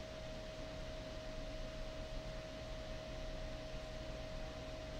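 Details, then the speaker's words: Old Gateway XP PC, Pentium 4 3.2 GHz, GTX 550 Ti, 450 W PSU, under a graphics benchmark at about 99 °C: constant loud air rush with steady mid-pitched whine; fans flat out from overheating. "but of course those fans as you can hear are going nuts that's crazy"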